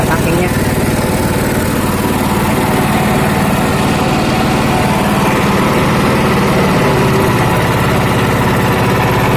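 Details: Honda GX240 petrol stationary engine, hard to start after days unused, restarted, no muffler: fast, even popping beat, raw and loud, holding a steady idle with no misses.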